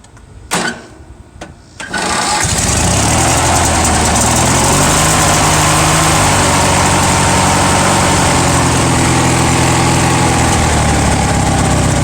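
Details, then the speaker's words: Murray 17.5hp riding mower with 42-inch deck, carburetor cleaned and oil topped off, cold start with choke, blades not engaged: a couple of cranks, then fires and settles into a steady even idle; normal cold start. "she runs good and it mows blades are good on it too"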